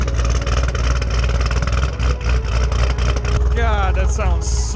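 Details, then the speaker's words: 2010 Camaro SS V8 (BTR Stage 4 cam, long-tube headers, Borla axle-backs) first start after replacing blown header gasket and spark plugs to fix exhaust leak and misfire; deep choppy cam lope, no ticking leak or stumble, healthy idle. "much better jesus wow that sounds way better"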